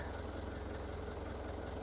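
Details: Diesel engine not run in a long while, cold start after fresh oil, short of fuel at first: steady low idle with an even, regular beat and no misses or knocks; water from the exhaust, no smoke, good oil pressure; healthy.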